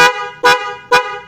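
Three short bright honks about half a second apart, each clear and strong, so the horn is working properly.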